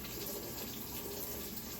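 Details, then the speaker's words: Maytag MVWB765FW2 top-load washer after replacing the faulty water inlet valve, test on a normal wash: lid locks, then a steady gushing rush of water pours into the tub with no buzzing or chattering, filling normally. "Success. You can hear the water, you can see the water pouring into the washer."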